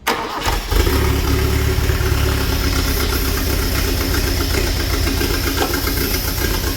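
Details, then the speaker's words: Toyota Corolla KE25 carbureted engine run on brake cleaner through the carb with fresh fuel and spark; catches after short crank into loud uneven idle, revs poorly, carb stuck open at first; timing suspected out, not confirmed. "so i think the timing's probably out because it it runs pretty badly"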